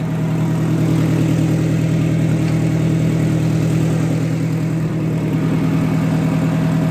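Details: Oliver 550 gasoline parts tractor, newly finished, idling outdoors after PTO test: even steady low idle, smooth regular beat around two hundred per minute, no knocks or clatter; normal idle.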